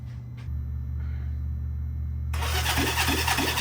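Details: Honda CB360T twin, not run for many years, compression test after valve lapping (about 120 psi right, just under 100 on the lapped side): starter spins the engine at a steady beat of about three even pulses a second; turning over normally.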